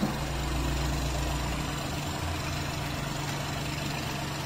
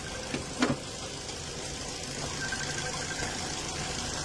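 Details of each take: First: 2019 Ford EcoSport EcoBoost, recently bought used: steady idle with rough chuffing pulse about four times a second from the open oil filler, heavy smoke and oil, abnormal crankcase blow-by. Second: 2019 Ford EcoSport EcoBoost, healthy comparison unit to a blow-by engine: quiet even idle with faint steady tick, no knocks, misses or hiss, no smoke; engine sounds healthy.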